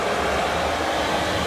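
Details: Cheap Chinese diesel parking heater newly installed in a Land Rover, running: steady, even rush of air with a smooth low hum and no ticking or rattle; the blower is working normally and giving warm air.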